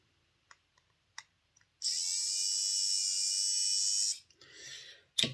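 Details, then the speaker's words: Airfix Class 31 model loco motor run on a battery after the armature end float was removed: an even high-pitched whir with no rattle. Much better, though still not the quietest motor. "Still not the quietest motor in the world, but that sounds an awful lot better."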